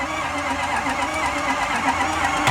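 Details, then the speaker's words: Ford F250 6.0L Powerstroke diesel, towed in as a no-start: starter spins the engine quickly and evenly with no firing and no loaded compression pulses; sounds like no compression, with puffing at the oil cap suggesting piston or cylinder damage. "that doesn't sound very good what said that doesn't sound very good give me a sec no it don't it sounds like got no compression"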